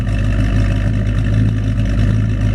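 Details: 1940 Ford resto-rod pickup, Ford-powered, on airbag suspension, idling on a chilly morning guessed to be in the 40s °F with condensation in the mufflers: deep, steady V8 burble with a slight lope, even and unhurried; normal healthy idle.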